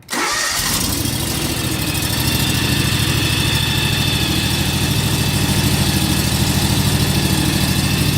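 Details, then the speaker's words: John Deere X585 riding tractor run for a minute or two after an oil change to circulate the oil. It fires immediately and holds a smooth, evenly pulsing idle with no ticking or stumbling: normal start and idle. "So we're going to fire it up here per the manual, let it run for a minute or two, let the oil circulate, we'll check it and see what we're at."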